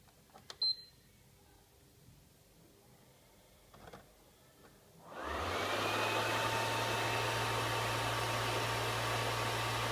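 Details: PS3 Super Slim, even on a cold startup: a quiet room, then the fan spins up to a steady loud whoosh with a low hum, like a blow dryer. The console fan runs far too loud.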